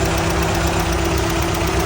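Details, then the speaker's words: Restored MGB GT on its first start after mechanical work, idling: steady, even low rumble with the electric cooling fan whirring on top; no knocks or misfires, fan working and cooling well. "Et on entend le ventilo là qui est juste là qui fonctionne. Donc ça c'est cool."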